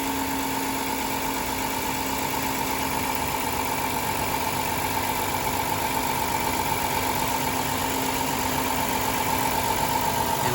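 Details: 2007 Dodge Caravan with sequential multi-point fuel injection, engine running while injector six is back-probed at about 14.1–14.4 V: steady, even idle with a constant hum and no knocks or misses, running smoothly.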